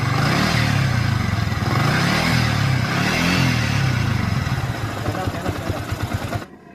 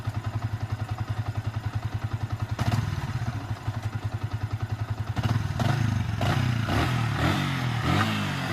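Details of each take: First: Yamaha Vixion single-cylinder engine before rebuild: coarse, uneven clatter over a deep drone; rough noise traced to a worn balancer bearing, replaced in the repair. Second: Yamaha Vixion motorcycle engine after rebuild with new balancer bearings to cure rough noise, gears 1–5 checked normal: even, regular idle thump climbing cleanly through quick throttle blips, no knocks or rattles; sounds healthy.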